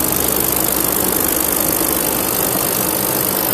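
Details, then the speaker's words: Daikin packaged chiller doing no work, with little difference between air on and air off: the compressor sounds tappy and valvy, a light rapid tapping with a hollow hiss; it seems seriously short of gas, possibly from a leak. "um pressor sounds a bit bit tappy to me um bit valy there's not a lot going"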